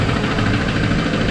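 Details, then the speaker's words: 2001 Pontiac Trans Am, started right after oil change: loud rough idle with dull steady low-end tapping; engine knock at idle, owner hopes piston slap but suspects rod knock. "I'm still hoping that it's piston slap but it sure sounds like rod knocked"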